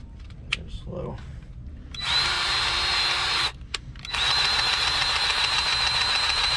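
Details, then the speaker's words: Powered grease gun on an old International cabover truck: high steady whine in two long pulls, gun straining as the fitting won't take grease; blocked fitting, to be replaced later. "slow just isn't going to take any guess only to do there is not today but another day I'll pull that"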